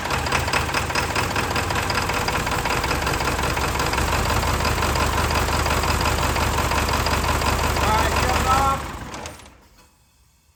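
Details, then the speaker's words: Barn-find OBS Ford F350 with 7.3 Powerstroke diesel: lumpy, uneven clatter with a lopsided beat before shutdown, running on only four cylinders with one bank missing; owner suspects the valve cover harness, though doubts it. "Uh, we are only running on four cylinders."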